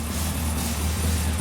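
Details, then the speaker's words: Isuzu/Holden PF50 Gemini with freshly built turbo engine, first start on a new injector map after oil pressure check: steady low rumble, even beat, no knocks or misses; smooth healthy idle. "the Gemini lives it lives it and just sounds good it sounds really good actually doesn't"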